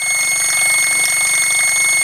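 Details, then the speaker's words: Mamod SR1 steam roller, circa 1965/66, running on rollers under pressure: sharp steady high whistle over quick even chuffing; safety valve blowing off because its seal has failed, to be fixed once cooled. "If you can hear me over the whistle, which isn't the whistle, it's the safety valve. The seal's finally gone pop under pressure, so we'll sort that out when she's cooled down after this."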